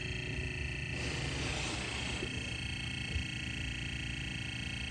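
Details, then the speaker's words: Sony TC-K65 cassette deck: steady whirring drone with a rough, gritty edge throughout from the capstan motor; worn capstan motor bearings, to be swapped for the motor from a TC-K61. "all of that sound is coming from this motor a BSL motor should not sound like that it's got bad bearings back here for sure"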